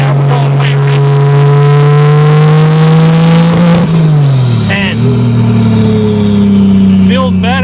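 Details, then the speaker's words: 2JZ-GE NA-T swapped Mk3 Toyota Supra, warmed up, road test under full boost, running too rich. The engine climbs, then stumbles and drops with crackling gas burbles. Misfire under boost. "Still breaking up. Oh, gas burble."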